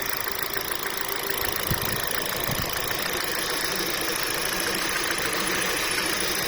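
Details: Warm Kia Rio at 224,000 km, driven 134,000 km after the catalytic converter collapsed at 90,000, with past overheating and oil starvation: loud hissy idle with fast uneven tapping, about three per second; engine knock of unknown origin.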